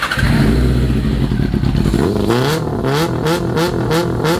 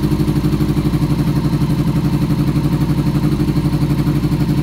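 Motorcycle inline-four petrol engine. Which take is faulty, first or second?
second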